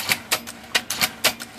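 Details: IBM Selectric after a sticky carriage-return part was freed: crisp, clean typing clacks about four a second, sharp with no drag or hesitation; carriage operating normally.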